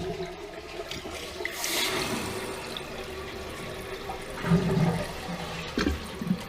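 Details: Toilet after replacing broken fill valve and sticking flapper (previously constantly running, leaking): strong rushing flush tapering into an even refill trickle, no hiss or running on afterward; flushing and refilling properly.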